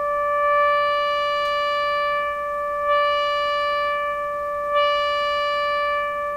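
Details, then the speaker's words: Florida AM/FM/SW tube radio on record-player input, receiver volume raised from about 20%: steady test tone around 600 Hz gains a sharper buzzy edge of added higher harmonics as volume rises; distortion, while troubleshooting low output. "so you can hear the Distortion coming in and what it sounds like is additional harmonics if you play music you you you can probably spot the sound of it but you'll you'll hear a sharper buzzier element in the tone"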